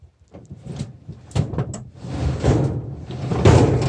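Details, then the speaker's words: CH750 STOL rudder swung hard over after steering rods modified and lower bearing ground for full 23° deflection: irregular dull thumps as the rudder reaches its full-travel stops. "know if you're better to hear it but you can hear the rudder business stocks back pretty outfit that I'm going with that"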